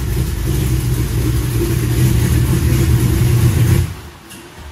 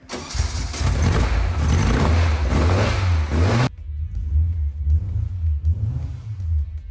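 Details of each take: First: Custom V8 Corvette (Skullclops) on first test drive before a road trip: loud, uneven, lumpy V8 rumble under light revs, running rough and not firing cleanly; cause unconfirmed. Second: Newly installed engine in the Speedle build, first fire-up after turning on the fuel pump: catches right away and settles into a deep, steady idle with no knocks or misses; sounds really good, a normal idle.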